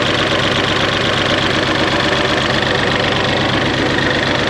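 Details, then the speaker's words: '88 Ford Festiva with a Fiesta ST 1.6 Ecoboost: an uneven fluttering idle pulse about four a second with delayed throttle response. Low-pressure fuel was suspected but looked decent; a wiring fault was the cause, and swapping wiring fixed it. "You can hear that like flutter. I don't know if it's a low pressure side fuel thing."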